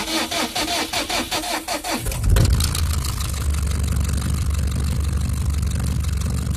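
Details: Cummins diesel cranks with even starter pulses, fires and settles into a heavy idle with a deep knocking rattle running through it: engine knock.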